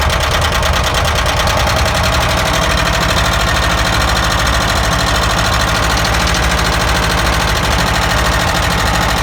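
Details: ZAZ engine with spark plug caps pulled one at a time to locate the noise: steady rapid loud knocking over a rough idle, constant throughout; internal engine knock, cylinder not yet identified.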